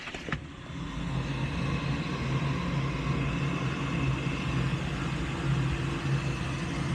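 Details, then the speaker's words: Goodman gas furnace in hard lockout, gas valve not opening despite 24V (later replaced): on test call for heat the inducer motor starts with even steady hum and faint high whir, reaching speed within a second; normal. "So our inducer started."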